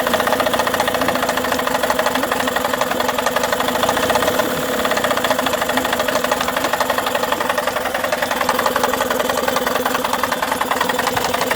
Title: Tohatsu 18hp 2 stroke knocking sound